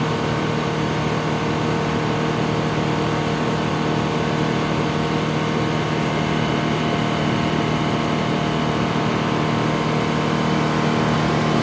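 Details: Detroit Diesel 6-71 in a 4104 bus after coolant-in-oil repair and oil changes: loud steady roar held at governor speed, no knocks, misses or hunting; running clean.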